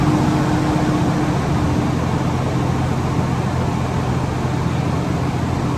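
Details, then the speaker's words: Truck air brake system during a CDL pre-trip brake test, primary and secondary air building to the 120–140 psi governor range: a steady engine and compressor roar, then a short hiss of air as the governor cuts out. Normal governor cut-off. "do that that's the governor cut off if you are not at the governor cutoff you go to move the structure to do tests it's a failure"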